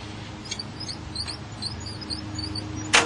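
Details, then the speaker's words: Farmall Cub static timing: engine hand-cranked one rotation past number one top dead center on compression gives a single sharp magneto snap; only one snap, so magneto timing is correct. "all right and you should hear one snap on the mag as you go around the top dead center on compression again"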